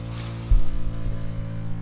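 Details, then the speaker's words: Water pump in a campervan water tank conversion, running with water flowing: steady low drone with a constant hum and faint pulsing; normal pump noise, which the owner dislikes. "I've got that horrible noise. I don't like it."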